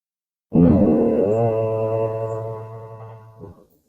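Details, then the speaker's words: 2008 GMC Envoy slowing to a stop while driving; a three-second low droning "moo" at steady pitch, the ABS falsely activating from lost wheel speed sensor signal, traced to a failing wheel bearing. "Did you notice that? What happened there? We got our moo."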